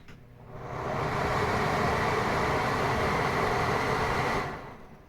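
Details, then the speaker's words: Basement bathroom exhaust fan, seldom used, run after its failed timer was replaced: smooth airy whoosh builds, holds even without rattle or whine, then winds down with a long spin-down; bearings still good. "And that's off. Still has a pretty good spin down time. Bearings are still in good shape."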